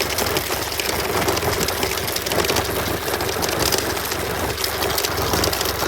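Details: 2018 BMW F800R motorcycle idling with a fast, light metallic rattle; chain guard suspected as the source; rattle at idle.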